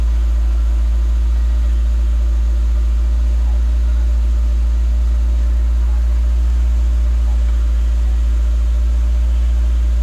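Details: Peugeot 205 1.9 GTI off the road 15 years, running after a wire reconnected to the starter solenoid: steady low even petrol idle with no knocks, misses or rattles.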